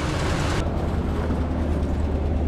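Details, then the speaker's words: Chevy K5 Blazer V8 at cold fast idle, not yet warm: a deep, loping rumble with a faint rapid tick from an exhaust leak; the car has a custom flex pipe. "A nice exhaust leak. I hear that tick."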